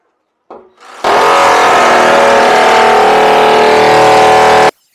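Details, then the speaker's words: Power flushing a small heating system with an Adey Magnacleanse during a Baxi 800 combi boiler install, all radiators off but one: loud steady buzzing rattle starts suddenly and stops, radiator agitated to loosen sludge. "now you're gonna see what the agitating's about and why he wears these uh muffs"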